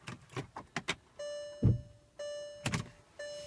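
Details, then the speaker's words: Used Porsche Cayenne 957 that suddenly would not start, no faults shown: a few sharp clicks on the key, starter relay clicks then only electrical hum, no cranking at all; car taken to shop by flatbed. "it's not even cranking it doesn't show any type of Errors any type of faults it just does not crank it looks like a starter relay clicks but after that nothing happens"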